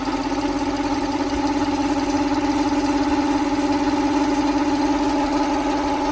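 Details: 1995 Lexus SC400 after full timing belt, water pump, pulleys, plugs, wires, cap and rotor, car long stored: steady idle with light top-end tick about three per second, owner suspects bank 2; cause not pinned down.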